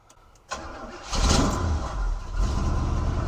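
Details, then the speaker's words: 1971 Cutlass Supreme SX with the 455 V8, which had sat for years, after a new battery, spark plug wires, battery cable and oil-leak fix: starter catch, then a steady, even idle; passenger tailpipe smoking. Normal start and idle. "oh are we on something over there that actually sounds really good"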